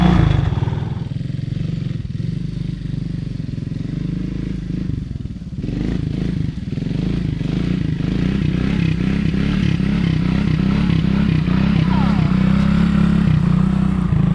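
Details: 1985 Honda ATC 200S three-wheeler with 165 original miles, after engine repair of a tapping/ticking noise: a steady low drone with even pulses and no clatter, normal running with no more noise.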